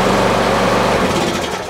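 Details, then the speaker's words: Lawn mower after the no-start fault was fixed by adjusting the micro switch and taking up its cable 2–3 mm, restarted to confirm the fix: catches and runs with a fast, even buzz, then winds down cleanly at shutoff. "So it starts and stops. Let's do it again. Just testing just for fail safe."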